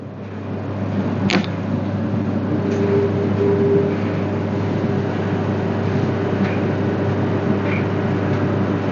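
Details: Whirlpool dryer that would not heat, running after the heater was replaced: even, steady drum hum with low motor drone and a couple of faint clicks; runs smoothly and normally.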